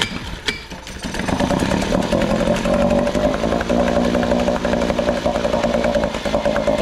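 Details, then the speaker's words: Small two-stroke outboard with a gravity-fed carburetor and no primer bulb, choke-started: a fast, steady buzz holding an even tone with no stumbling; normal running. "okay so we got this running good now I'm going to swap this power head and put it onto here"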